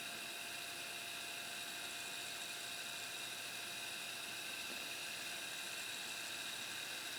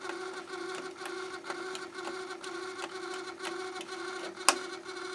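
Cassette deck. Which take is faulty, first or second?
second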